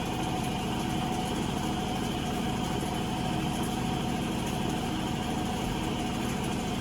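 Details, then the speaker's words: Avanti TLW 21D2P portable washer spinning while draining, whose pump would not push water into the sink: an even motor hum with a steady faint whine and no knocking or scraping. The spin sounds healthy. "It sounds healthy."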